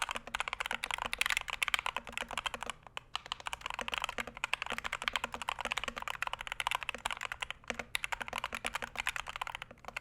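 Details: Punkston TH61 keyboard (steel plate, stiff typing) typed on: fast, even, crisp clacks, slightly hollow and plasticky, no rattle; switches and stabilizers sound healthy.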